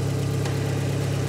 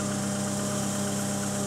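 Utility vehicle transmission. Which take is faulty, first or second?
second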